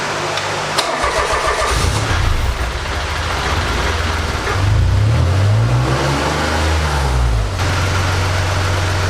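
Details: Buggy with a newly installed Mirage 1.2-liter engine, fire-up: it cranks briefly, catches, gives a few clean blips and settles to a steady even idle; a healthy start.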